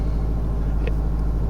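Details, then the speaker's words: 2009 (58-plate) Ford Mondeo 1.8 Duratorq TDCi diesel (QYBA), no known history, held at about 1500 rpm where it shakes: rough uneven thrum with irregular knocking pulses, horrible diesel knock, slight black smoke. "it's just if you just idling it's got slight diesel knock about 1500 rpm which we're on now and it's got um a horrible knock"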